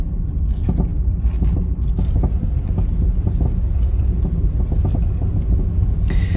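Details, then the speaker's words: 2017 Toyota 86 driven over bumps: irregular dull clunks through road rumble, suspected front suspension looseness; a thump or pop also noticed when jacking, and both bearings later found with axial play, likely source. "he noticed actually when jacking the car up the car was making a thump or a pop"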